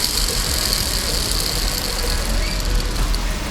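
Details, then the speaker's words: Yamaha Jog CE50 70cc vertical engine, old crankshaft bearing removed during rebuild and spun by hand: steady gritty rumble with hissing edge; worn crank bearing, new one whisper quiet. "I think we can say it is no good."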